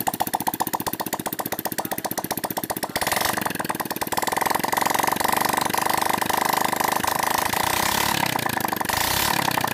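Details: Shogun R 110, revived after flood damage and nearly 3 years dead, started with the exhaust removed after overhaul to check for smoke; sharp unsilenced crackle settling to fast even idle with light blips, no misses; normal running.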